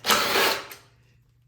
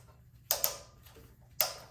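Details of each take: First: Troy-Bilt Storm 2410 snow blower on full choke, primed: catches with a rough roar for half a second then dies; stalls from fuel starvation, carburetor clogged by old gas, fixed by cleaning it. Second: Troy-Bilt Storm 2410 snow blower that would not start (owner suspects stale gas clogged the carburetor), reassembled after carburetor cleaning, tank apparently topped up with new gas mixed with old, started unprimed with choke: two pulls, then it catches and settles into a steady, even putter. Healthy running.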